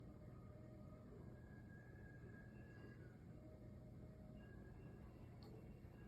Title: Weird noise coming from my vent